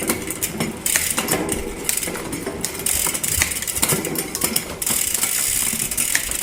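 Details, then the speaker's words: Trek Top Fuel mountain bike drivetrain ticks and hisses with sharp irregular pops as the chain skips across the cogs when shifting up after a new chain was installed; likely worn cassette, derailleur hanger probably needs alignment. "I can hear it popping. I think it wants to go up. I think it's kind of a combination of the cassette and chain were were not the chain wasn't really worn yet, but it's always a good idea to change that."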